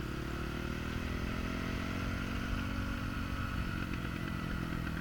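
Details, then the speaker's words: Honda CRF450R coasting downhill with the throttle closed: irregular exhaust crackle and pop on deceleration as the mixture goes lean; the rider accepts it rather than tuning the closed-throttle position. "So going lean on this we're on a downhill part right now, and you can hear the bike popping. A lot of guys say that's the sign that the bike is not tuned properly, but I'm not going to try to tune out not a throttle closed position."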